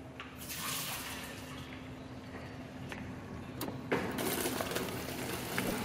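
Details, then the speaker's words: GE refrigerator water dispenser right after installing a new GE MWF water filter: irregular hissing spurts and gurgles, growing louder as water pushes through; trapped air purging from the line, normal. "And it should start sputtering out, get all the air out of the line, and then it should start filling up. You can hear all the air."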